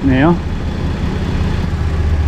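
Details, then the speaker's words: Toyota 80 Series LandCruiser at idle after alternator, fusible link and alternator plug replacement, with the old belts gone and the ECU resetting after battery disconnect: smooth low steady idle, no squeal or chirp. "good thing is though ladies and gentlemen you can hear there's no cat line it's not going real anymore because these cold belts aren't on there anymore okay so everything's nice and quiet now"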